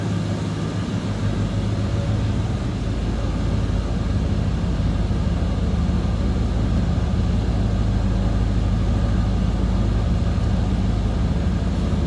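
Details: 1988 Chevrolet Monte Carlo SS, 305 V8, about 95,770 miles, warmed up at low idle, recorded from behind at the tailpipes: a steady low idle with a faint irregular puffing chuff, consistent with a small exhaust leak.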